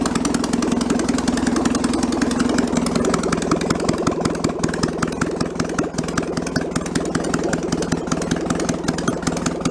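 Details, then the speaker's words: 1966 VW Bus flat-four engine removed from a barn, test run off the vehicle: even chuff, high fast-idle note fading as the automatic choke warms up and idle drops; carburettor still needs rebuilding. "this is as the choke warms up it turns itself off and the idle comes down lower and lower"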